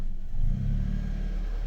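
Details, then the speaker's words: Hyundai HB20 starting with clutch pedal pressed, after no-crank complaint (starter motor found faulty): brief crank that catches quickly, low-pitched rev, then steady run; starts normally, so clutch pedal sensor not at fault. "ahí funcionó correctamente. Sí. O sea, que no es un fallo en el sensor del pedal"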